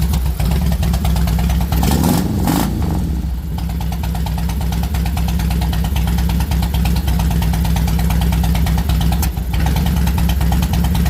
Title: Rough idle on 2006 deluxe FLSTNI